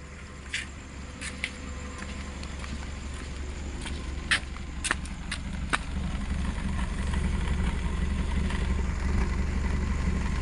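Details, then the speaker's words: Suzuki Airio at idle, tailpipe: deep, uneven rumble with shaking and sharp ticks; rough idle, fuel smell and heavy consumption, no DTCs, poor fuel trims, no smoke; O2 sensor or timing suspected, not confirmed. "suaranya aja mobilnya itu bergetar ya rok ya rok ya dan rasanya tuh rada ini pedes ya di mata ataupun di hidung ya"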